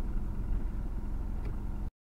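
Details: VW MQ200 02T manual gearbox bearing failure, driven with the damage for about 50–60 thousand km: deep steady growl beneath the driving rumble while under way.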